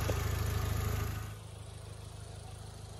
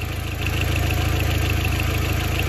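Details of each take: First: Audi A4 1.8T idling still warming up after coolant hose repair, air possibly still in cooling system: after a brief louder burst, settles into quiet, even idle with steady low beat, no roughness or misfire; normal idle. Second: Audi A4 1.8T, 179,000 miles, overheating and no heat, not yet warm: steady idle with fast, even ticking over the engine note and a small exhaust leak audible; cam chain or tensioner suspected, may need tightening, not confirmed.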